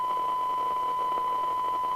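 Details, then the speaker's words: 1981 DNT M40 UK FM CB radio receiving a test tone at three microvolts that sounds rough and thin under hiss, because the radio is internally off frequency; the 10.24 MHz master oscillator still needs setting. Receiver off frequency. "the actual radio is internally off frequency which it can easily be so that's three micro volts and it sounds crummy"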